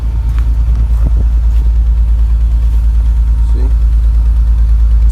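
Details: BMW 1/3 Series at idle: regular heavy pulsing stumble about three times a second, uneven and shaky, one cylinder misfiring from a failed ignition coil; fix is replacing that coil, after which idle smooths and light clears.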